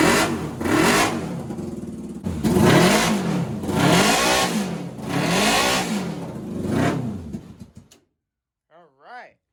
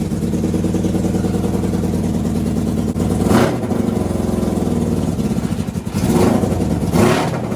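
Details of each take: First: NasKart after misfire diagnostics, freshly fueled, fuel pump on, started without touching the gas: it catches and revs cleanly in repeated rises and falls with no popping or stumbling; normal, smooth running. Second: NasKart engine: it revs, then stumbles and pops unevenly, with a few coughs breaking the pull; misfire from fuel starvation because the fuel pump switch was off.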